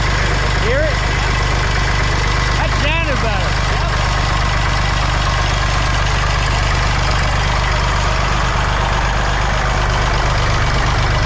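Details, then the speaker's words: Massey Ferguson 35 tractor, Perkins A3.152 three-cylinder diesel, after head gasket replacement for an oil leak; warmed to full operating temperature after high-rpm runs. Steady, smooth low-rumble idle, no misses or knocks; no leaks so far, healthy. "all right she runs as good as she looks now i just ran her up and down the street a bunch of times at high rpm got the engine to full operating temperature so far no leaks so i think we'll be all right"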